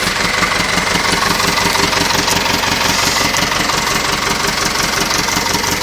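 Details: Nuffield 805 tractor diesel, first start after a full engine rebuild, having lain 10 years in a field. An even, steady clatter at about three firings a second, with no knocks or misses: running normally.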